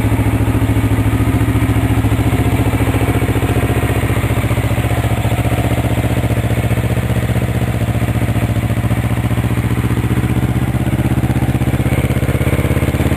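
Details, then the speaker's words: 1983 Suzuki GR650 Tempter DOHC twin with balancer, 11,000 miles, just started cold on full choke: even, quiet idle with steady low pulse, no knocks or rattles; healthy normal cold idle. "so we'll start it up now it's cold we'll uh we'll start it right from the choke full choke and the key"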